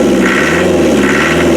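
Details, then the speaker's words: 2.5 naturally aspirated diesel after seal repairs and a starter-wire fix, freshly started from cold: an even, steady idle with a constant whirring drone and no knocks or hunting; normal running. "so let's fire it up so it will need a little bit of heat but not much"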